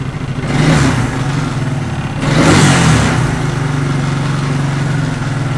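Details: 1994 Suzuki Quadrunner 250 4x4 ATV single-cylinder, first start after sitting for years and a carb clean and rebuild: thump blipped twice, then back to a steady, slightly uneven low idle. It runs but needs tuning; old spark plug still in.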